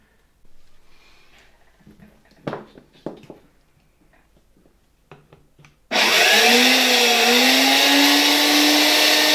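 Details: 1964 Gamma II (type A-6b) vacuum cleaner, KASB-70/30 motor run on mains after cleaning, rust removal and lubrication, without suppression capacitor: clatter, then loud wavering whirring whine; owner thinks bearings need replacing.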